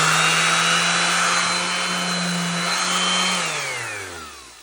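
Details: DeWalt DWE6423 orbital sander after repair for uncontrolled fast spinning (lost belt or bearing seats): hums at a steady, even pitch, then winds down smoothly after switch-off; normal running.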